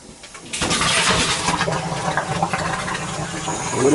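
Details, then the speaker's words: Boiler zone on a new 40-gallon Megastor hot water storage tank replacement, purging air after install: loud rushing, spluttering water-and-air flow building strongly; expected gurgle while purging air. "Just want to make sure everything's purged good. It'll gurgle. It'll gurgle gurgle."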